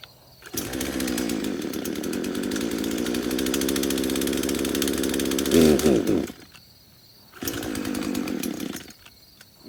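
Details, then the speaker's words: Craftsman chainsaw first start after about five years sitting in a shed on a little leftover fuel; revs high and steady then cuts out, having trouble picking up fuel; only runs with the choke on. "so it only wants to run with the choke on"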